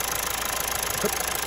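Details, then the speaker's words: Mazda 2.2 Skyactiv diesel at idle after intake manifold and vacuum pump replacement, with no fault codes, then running with an EGR valve disconnected. A fast, even clatter turns harsher and more metallic as the tone changes with the EGR unplugged. "Now, she changed her tone and everything there."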